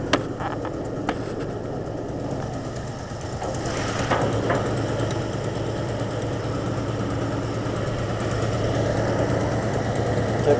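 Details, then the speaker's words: '89 Grand Wagoneer cold start, still cold: uneven galloping idle with a dead miss from the rearmost spark plug on one side, the worst cylinder; compression check good, exhaust manifold has a hole and exhaust leak. "Hear that galloping? Not now. Here's got a dead miss now. That's because the spark plug on the very back on this side here. It's uh that's the most that's the worst one."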